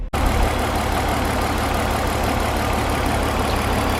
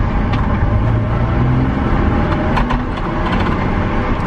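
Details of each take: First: BMW E46 323ci with a no-start and misfire fault, hissing also heard, spark plugs to be changed next: idle with a faint, regular stumble in a steady hum; misfire at idle suspected, cause not confirmed. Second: BMW E46 323ci 6-cylinder on a test drive after fixing a no-start and misfire: the engine pulls steadily under load over road noise with an even note, no stumbles and no misfire.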